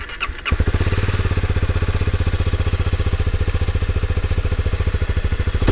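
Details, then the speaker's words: Honda CB250R single-cylinder motorcycle: the engine catches and settles into an even, steady idle thump, mechanically quiet with a satisfying clean exhaust beat; sounds healthy. "mi motoru Gayet sessiz çalışıyor egzoz sesi ise tatmin edici diyebilirim"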